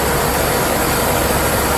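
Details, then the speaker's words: 2008 Dodge 5.7 Hemi after A/C compressor clutch replacement, A/C switched on: loud, even engine idle with a smooth, steady whir as the clutch engages and spins faster, no knocks or squeals; normal idle with A/C on. "Go ahead and engage the AC. You'll see it start spinning a lot faster."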